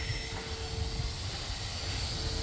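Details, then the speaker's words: Engine off, shop vacuum blowing air into the blocked-off exhaust: steady blower drone with airy hiss escaping at the exhaust manifold gasket behind cylinder number four, leak found by ear and by hand. "I can hear it because I put my hands around I found it it's right here behind number four cylinder obviously the gasket there you can hear the air change"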